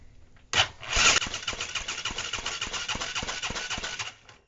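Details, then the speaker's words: ATV engine after teardown and rebuild, fuel squirted in: steady starter cranking about three seconds with weak, irregular firing that never catches; hard start, owner unsure everything is hooked up, possibly flooded. "I don't know if everything's hooked up yet or not. It did okay last. It could be flooded too right."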